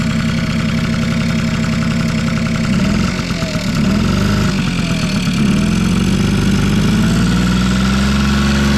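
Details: Vintage Honda Squash (AB11) with 12V electric start: a smooth, even, quiet low putter at idle with no knocks, rattles or abnormal engine noise. Normal idle.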